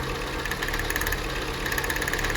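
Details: Jeep Renegade with new spark plugs, coils tested OK: rapid sharp snapping over a rough idle with popping, as spark leaks from the plug to the side and engine block instead of firing the plug, causing a misfire.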